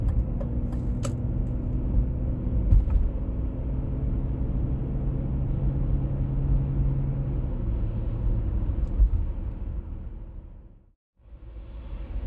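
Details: 1996 BMW E39 523i automatic (pre-facelift): low steady drone rising and falling with road speed over tyre rumble, heard at 50–60 km/h and 70–80 km/h; source not yet found.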